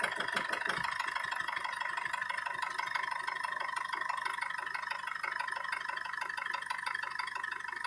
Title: Стук двигателя Бмв M47TU